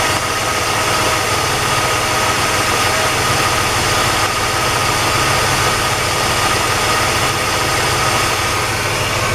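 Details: Car engine after a Gumout oil treatment for driver's-side lifter ticking, idling: steady, even hum with no ticking or tapping; lifters quiet, oil pressure a little over 60, runs smoothly.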